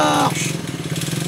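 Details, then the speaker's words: Old single-cylinder engine restarted with new battery and spark plug: coughs into life and settles into a steady, fairly even beat; runs decently but still needs adjustment. "ben voilà ça y est écoute ça marche pas trop mal on est encore plein de réglages"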